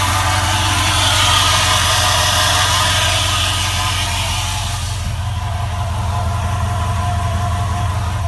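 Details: 2004 4.7L HO engine at cold idle: an even tapping about three per second from the bottom rear of the engine. It goes away once the engine reaches operating temperature; cause unknown.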